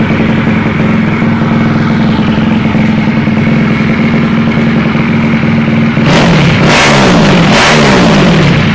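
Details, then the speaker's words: Takegawa Plus-R 4SM 59mm small four-stroke motorcycle engine build: even, steady idle with a clean tone, then sharp, quick rises in pitch on the throttle, revving high, strong and fast; a healthy engine running very well. "Το μοτέρ λειτουργεί πάρα πολύ καλά, θα το ακούσουμε τώρα. Ανεβάζει πάρα πολύ ωραία."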